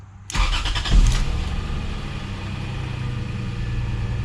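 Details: Lexus GS300 with 2JZ engine, brief start after an oil change with 6 quarts: catches quickly, one flare of revs, then a smooth steady low idle with no knocks or ticks; healthy start.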